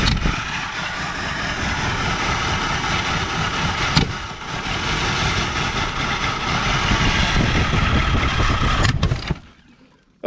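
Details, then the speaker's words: 1984 Ford Thunderbird 5.0 sitting for years, after trying to push fuel through the injectors: starter cranks steadily about nine seconds and never catches; crank no start, no fuel delivery to the injectors. "we've heard it run we know it'll run if we get gas to it injectors to it we know this engine will run"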